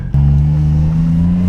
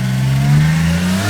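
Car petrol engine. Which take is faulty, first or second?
first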